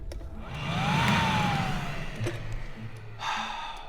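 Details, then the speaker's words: Secondary air pump from Bugatti Veyron, removed and bench-tested off the car: electric blower whirs up to steady rushing hum, runs freely and healthy; pumps work, so relays or whatever commands them on is suspected faulty. "So all the air pumps work, but whatever's telling them to turn them on clearly isn't working."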